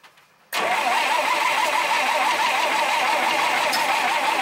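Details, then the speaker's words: 1951 Dodge flathead six, unstarted for 32 years, with new plugs, plug wires and coil, still won't start before a new distributor arrives; steady cranking at about four turns a second that never fires. Timing or points suspected, not confirmed. "we couldn't get it started yesterday you know we're just trying to get these videos out for you guys as soon as possible"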